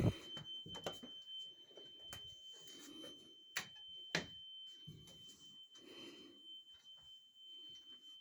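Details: Carbon monoxide alarm sounding at 01:45 as a constant high-pitched tone heard from the back hallway; it was later found to be a small cellphone-sized box on the floor. Thin steady tone over soft footsteps and handling.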